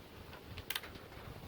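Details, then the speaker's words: LG 60PV250 plasma TV: power board relay clicks on, standby light comes on, then clicks off with no display; VS voltage reads zero. "you hear the power board clicking then it's click off so let's see if we it's click again you can see the light is go on try to turns on and it's go off clicks then goes off so that's the problem"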